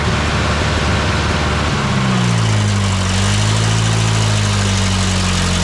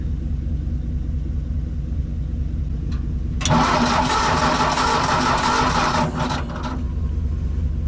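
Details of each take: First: Old tractor with the carb adjusted until it ran well: the engine catches and settles into a steady, even low idle with no misses or knocks. Normal idle. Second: Old tractor with a known bad coil cranks steadily for a few seconds but never catches; no spark is seen at the plug, and a different plug is tried: no spark.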